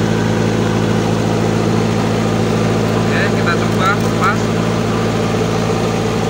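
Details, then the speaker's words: Toyota Dyna Rino 115PS diesel after repair, revved up, positive battery cable disconnected: steady diesel idle with even low drumming keeps running, no die-off; the alternator is charging again. "teman-teman sudah tidak mati mesinnya sekali lagi kita coba sekali lagi kita tidak mati jadi dinamo Strom atau alternator sudah berfungsi kembali"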